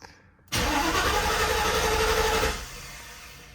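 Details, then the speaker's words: Mercedes W124 E420 M119 V8 with 722.4 automatic, just after shifter bushing replacement and a new fuel filter: starter cranks hard about two seconds with uneven churning, engine never catches; fuel system needs priming after the filter change. "Oh yeah, I forgot we just changed the fuel filter. Let's prime it a few times."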